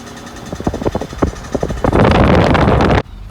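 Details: High-mileage Volvo XC90: rapid, uneven clicking about four a second over the engine while pulling straight or turning under acceleration, then masked by rushing noise; gone when coasting or idling. Owner suspects a failed driveshaft CV joint, not confirmed.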